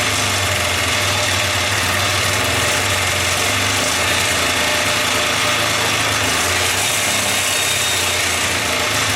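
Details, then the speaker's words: 1979 Kawasaki Drifter 440 two-stroke snowmobile, unknown history, just started: buzzy idle holds steady and even with no stumbling or surging; normal idle. "I can't believe it I thought that if it did run I thought it was going to take a lot longer than that but if we did get it running I thought it was going to run as rough as a cobblestone Road"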